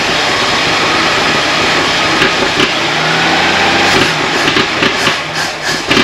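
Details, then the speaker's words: 1964 Chevy II Nova, first start attempt in months after brake system rebuild: engine cranks unevenly but never catches; fuel pump pulsing felt, owner suspects low fuel after only a couple gallons in a bone-dry tank. Crank no-start. "what the heck start picking up fuel I wonder if it needs more in the tank because it was bow and dry and only put a couple of gallons in"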